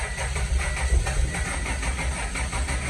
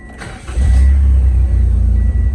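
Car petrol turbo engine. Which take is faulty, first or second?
first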